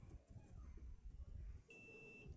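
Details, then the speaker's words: TRX4000 audio amplifier that stopped turning on, one channel burnt; with the resistors removed, a multimeter on continuity probes an output transistor and gives one steady half-second beep. That transistor reads as good. "ahí tenemos corto ahí no tenemos corto entonces este transistor está bien"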